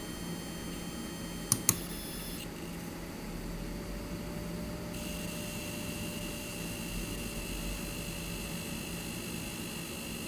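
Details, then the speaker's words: Intel Arc A770/A750 Limited Edition graphics card in menus with uncapped frame rates, less while gaming: loud, thin, high-pitched coil-whine squeal shifting pitch over soft fan hiss. "Not so much while actually gaming, but certainly in some menus where there's uncapped frame rates, you can definitely hear some fairly loud squealing, but take a listen for yourself."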